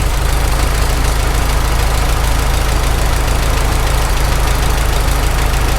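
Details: Farmall H tractor engine idling with a loose rocker being tested. A steady, loud low idle carrying a faint, uneven knock of about four per second that comes and goes after a restart; the owner suspects cylinder 3.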